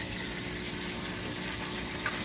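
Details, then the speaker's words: Maytag Epic washing machine that would not drain, after replacing the small DC drain pump motor (about $30 fix), tested with a garden hose outlet: steady watery rush and even low pump hum, no grinding, water pushed out; normal drain pump operation. "that was a that was the little problem that we were having and what a difference I feel all the water just being pushed out and the water is draining away so that's a $30 fix"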